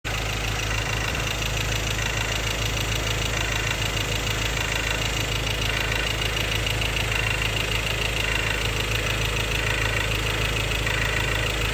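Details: 2016 Ford Ranger XLT 2.2 Duratorq diesel, 4x2 manual, at idle: steady metallic clatter about three knocks a second; fuel knocking or clogged injector suspected, unresolved by dealer.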